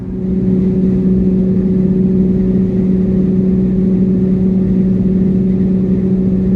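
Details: Jeep Gladiator 3.6L V6 with no muffler, climbing a long highway grade in 5th gear at 65 mph, before a MagnaFlow muffler was fitted. Loud, steady low drone held at one pitch: exhaust drone from missing muffler.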